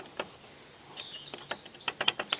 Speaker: there's eject it's trying to eject it let's try and eject if you can hear it